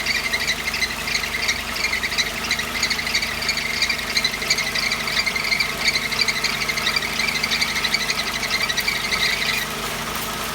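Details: Mercedes 190E 2.3 engine, front-of-engine squeal: high chirping repeats about three times a second; stethoscope found water pump, alternator, power steering and AC bearings fine, and water on the belt quiets it briefly, so belt or tension suspected.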